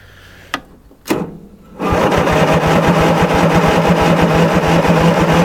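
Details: Cold start of a 1994 Simplicity Broadmoor lawn mower, 16 hp Briggs engine, roughly two-to-three-year-old battery: a couple of clicks, then it catches fast and settles into a steady, even idle thump; normal cold start and idle.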